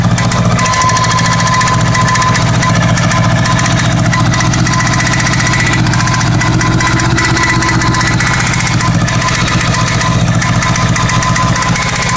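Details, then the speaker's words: Honda Goldwing GL1100 at a rough idle with one plug lead off, the rattle unchanged (No. 2 lead off made no difference, No. 3 stalled it, smoke only from the right side): a loose, uneven chattering rattle that went away, then returned. Source unknown. "That went away for a while, then come back. That rattle."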